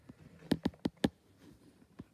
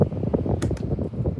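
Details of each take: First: Schallen 12-inch desk fan with badly worn bearings: a few knocks at switch-on, then it spins up to a steady low hum with a faint rough scraping noise. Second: Schallen 12-inch desk fan running on its speed settings: steady low whoosh of the blades with a smooth, even motor hum and no grinding or rattle; normal running.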